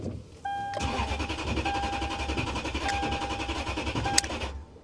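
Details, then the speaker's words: Salvage-auction Volkswagen CC Sport, about 163,143 miles: steady starter cranking with an even churning rhythm for several seconds, engine never catches; fuel pump possibly not heard, cause not confirmed. "yeah, I mean, I knew it wasn't going to run, guys. But it does crank. Try it one more time. I don't think I hear the fuel pump."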